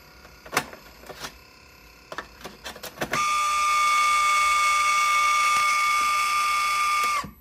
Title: An Atari SF354 makes strange noises. wait til the end...